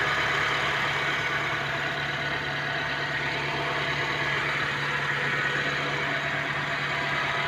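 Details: Honda Civic misfiring at idle, now on its fourth mechanic with the fault still not found: steady idle with an uneven, stumbling beat and occasional dropped pulses; cause unknown.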